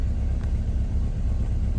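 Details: Honda S2000 petrol engine, 176,000 miles, check engine light with three misfire codes and an air temp sensor code, booked for engine ticking: deep uneven idle rumble with irregular low pulses, stumbling and misfiring badly.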